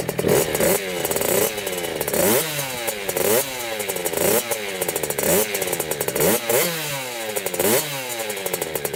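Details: 2000 Kawasaki KX65 two-stroke, first start after a full motor rebuild: crisp revving in repeated blips, each climbing and dropping cleanly with a sharp ringing note; sounds healthy and responsive.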